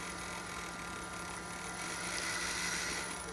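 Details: 1974 VW Thing EV conversion: electric motor with no flywheel attached, spinning freely clockwise on light throttle; quiet, steady whine with no knocks or grinding; sounds healthy.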